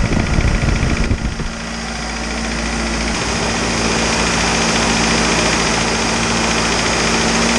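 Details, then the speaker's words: Isuzu 4BD2T turbo diesel at initial startup: starting clatter settles into steady idle, about 214 beats a minute, only ordinary injection rattle; good oil pressure, thermostat then opened, healthy. "I'm so stoked that this motor fired up and it had awesome oil pressure and everything worked the way it should and I only had a couple minor issues"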